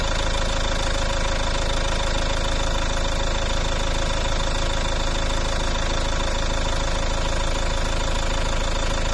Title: volvo v50 strange engine noise. anyone had this noise?